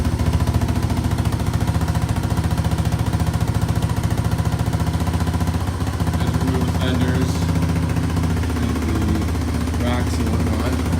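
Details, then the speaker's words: 1987 Honda TRX200SX ATV just after a carburetor cleaning: single-cylinder thumping at an even beat of about three and a half pulses a second; smooth, healthy idle. "oh just got finished cleaning the carb and now listen to this baby purr"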